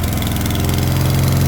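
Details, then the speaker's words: Vintage Atco Balmoral self-propelled cylinder mower, recently fitted with a new hose-type fuel line, started with choke on: steady, even low putter with no misses, surging or knocks; runs well, normal running. "There we go. Listen to that. That runs really well as well."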